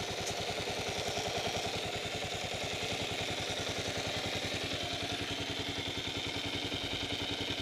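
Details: 2008 Kawasaki KLR 650 single-cylinder at idle after an oil change with Kawasaki oil: busy, even bearing-like whirr over the pulses, heard from the left side case and not the right; cause unknown.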